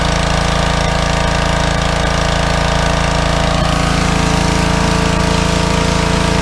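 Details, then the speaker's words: Small petrol engine on a pressure washer, after carburetor cleaning for suspected fuel starvation, holds steady even speed under load, no surging or hunting; normal running under load. "That's making a treat now, Aaron."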